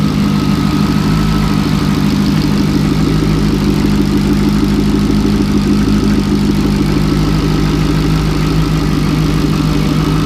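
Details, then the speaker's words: Turbocharged LS2 V8 long block idling at normal idle, cold 40° day, no smoke, wideband monitored: smooth even idle with steady electric buzz from the electric turbo oil scavenge pump returning oil from the turbos; engine healthy. "that's the oil scavenge pump I have an electric pump that sucks the oil out of the turbos and returns it back to the car so that buzzing sound is just the the oil scavage pump"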